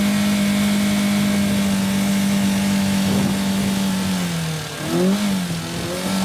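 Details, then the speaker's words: Renault Clio engine with no oil and no coolant held at 5,000 rpm for about 5 minutes until it locked up: steady screaming high revs, pitch wavering and sagging as it tightens, engine seizure from oil starvation. "Then it took keeping it at 5,000 RPM for 5 minutes to lock it up. So the engine's well and truly done."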